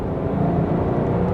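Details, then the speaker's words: L322 Range Rover V8 in manual mode, third gear, accelerating from 40 to 60 mph: a smooth, steady V8 note climbing evenly with no knocks or misses; sounds healthy. "Ooh. And that's 60 just like that. It makes a wonderful sound, this engine. Absolutely wonderful."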